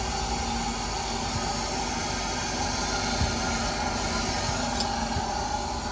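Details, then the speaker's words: 18-year-old Hyundai Santro Xing cold start after long standing, in neutral, after ignition coil wiring repair and throttle body cleaning for misfiring; even, steady idle with no misses or knocks. "ये देखिए बिल्कुल smooth condition में है। अभी तो ये cold start है। क्योंकि ये बहुत टाइम बाद स्टार्ट हुई है कार भी।"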